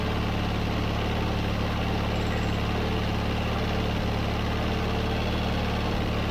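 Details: John Deere 317 riding mower that quit and wouldn't restart, after its plugged carburetor was cleaned and refitted. Steady low thumping idle with an even beat and no stumbling; the twin keeps running on its own: normal idle.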